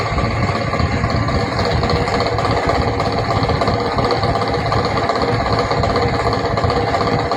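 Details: 24V DC train coach fan that makes a noise every 5 minutes: loud steady buzzing rattle with coarse rapid chatter. Low voltage or a motor fault is the suspected cause, not confirmed.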